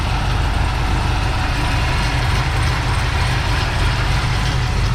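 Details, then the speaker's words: 2017 Chevy SS V8, idling during coolant bleeding after a cooling-system repair (not a head gasket): deep, even rumble with a steady idle, no misses, ticks or knocks. Reaching 181 degrees, charging fine, with burning smell but no water pouring out. Running clean. "sounds good so uh we're just gonna let her idle here"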